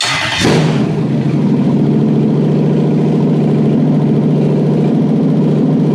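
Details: Toyota 1UZ-FE non-VVTi V8 with immobilizer ECU bypassed by immo delete unit and fuel pump wired to permanent battery power: cranks, catches quickly and settles into a smooth, even idle with steady low rumble; runs properly.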